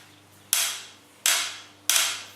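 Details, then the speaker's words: Bicycle frame clicking only when pedals are loaded and the bike is pushed sideways, silent riding straight; three sharp, loud ringing clicks about two-thirds of a second apart, frame creak with source unclear. "it only happens when you push it like sideways if you're riding in a straight line you don't hear it but you put the pressure on the pedals so you gotta push it a little sideways what the heck is that"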